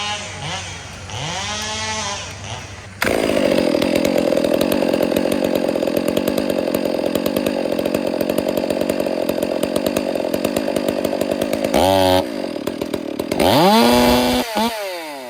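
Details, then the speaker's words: Chainsaw carburetor tuned by ear at full throttle: faint, uneven four-stroke burble breaking into the scream, the target for high-speed screw tuning; a later tach check shows the high screw needs to go slightly richer. "Almost see the now until I faintly hear the sputter start to come in to the RPM. You can faintly hear it."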